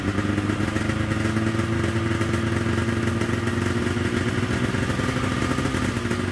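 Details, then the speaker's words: 1997 Polaris XCR 440 liquid-cooled twin two-stroke snowmobile, first start, running on premix: steady, even buzz with constant pitch, no knocks or misses; engine running healthy, carbs may not need rebuilding. "sweet I don't even know if I'll have to pull those carbs apart it's idling it sounds good I am running pre-mixing it right now I'm not sure if that oil is working I always do that just as a precaution it doesn't sound bad"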